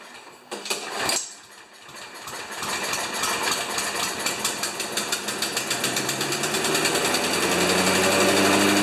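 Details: Craftsman Eco Plus 190cc mower, started after it hit something hard and was repaired: catches after a few cranks and settles into a rapid, even popping beat that climbs with speed. Running normally.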